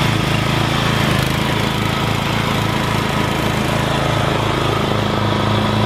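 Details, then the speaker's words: Rebuilt Troy-Bilt mower cutting grass, after new piston rings and a brand-new carburetor adjusted about half a turn. Single-cylinder engine pulls steadily, firing note even with no misses or knocks; normal running under load. "This machine cuts amazing. I'm very impressed. And it just speeds this lawn."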